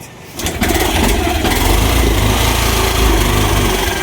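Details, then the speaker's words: Yamaha YTX 125 motorcycle with sidecar: catches and settles into an uneven, stumbling idle with irregular low thumps, misfiring; also won't move off even with clutch released, long-standing issue. "YTX Yamaha 125. Ang issue nito ay ayaw umusad. Ah palyado yung andar."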